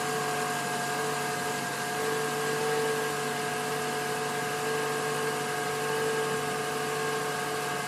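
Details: 2012 Toyota Camry SE at 5,000 miles, cold start at 66°F on ethanol-blend gasoline, recorded with an outside microphone: smooth, quiet cold idle with a steady faint hum and no ticking, knocking or rough running; normal.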